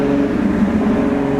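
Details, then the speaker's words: Car with turbo, while driving: steady droning tones, heard as metal on metal; owner believes the turbo compressor wheel is hitting its housing, and suspects the engine is running lean as it pops more. "also i can hear the compressor wheel i can hear the compressor wheel hitting the housing in the"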